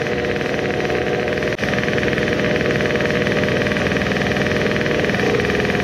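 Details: Modified moped two-stroke on its initial startup after the block porting and epoxy work, with a new intake manifold and the carburetor at a steep angle and leaking fuel. A buzzy, choppy beat with a brief dropout; it sputters at an estimated 15,000+ rpm instead of pulling clean.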